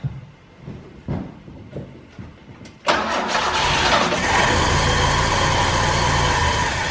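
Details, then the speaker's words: 1968 BMW 1602 with carburetor, first start after 10+ years sitting, old gas in tank: several seconds of uneven cranking, then catches and runs rough; hard start, owner suspects stale fuel and needs choke. "I don't know why it's not starting to gas probably just like nonflammable at this point I think we got a drain in this tank"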